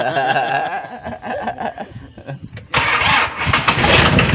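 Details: Mitsubishi L300 4D56 diesel, hard starting when cold, heater plug issue: slow uneven cranking nearly three seconds, then catches sharply and settles into rough clatter; starts after preheat.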